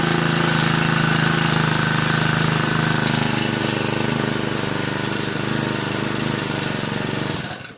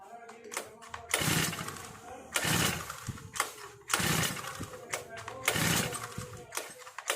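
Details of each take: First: Brand-new Turbotech SD T35 4S four-stroke brush cutter after replacing a shorted ignition coil that had stopped it starting: even, steady idle buzz with a smooth regular beat, no stumbles, until shut off; running healthy. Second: New four-stroke brush cutter with foam air filter, choke lever up (on choke): sharp pull-cord rips about every second and a half, each dying away with no firing; cranks but won't start on choke.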